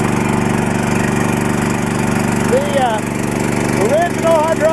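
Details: Mitsubishi 25–30 hp tractor swapped to a Harbor Freight 420cc single-cylinder engine, belt drive, first start: steady putter at idle, no missing or knocking, chirps in background; runs fine.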